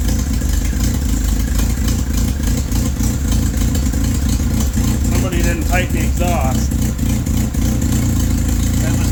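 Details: Toyota Tercel wagon 3A engine after head gasket replacement, timing checked correct: rough idle with a sharp, fast puffing tick rising with revs; the exhaust was left loose with no gasket, later tightened with a gasket fitted.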